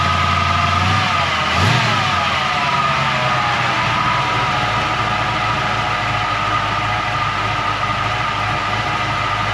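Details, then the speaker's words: 1940 Mercury hot-rod sedan engine, timing being set with vacuum advance unplugged, timing far off: rough idle with a thin steady whine; owner first suspected alternator (new one-wire fitted), now suspects throwout bearing or transmission. "you got multiple issues here that wine i don't know what that wine is must be the throat bearing is whining because i thought it was the alternator it's not it's got to be that throw out bearing or something whining in the transmission"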